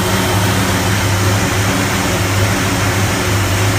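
Low idle with a lumpy, uneven beat that stumbles now and then over a hissy background; rough running, cause not evident.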